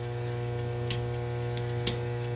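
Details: Battery charger with ammeter rising toward about 40 amps: steady low mains hum with a couple of faint ticks; charger loaded and pushing current into the battery normally.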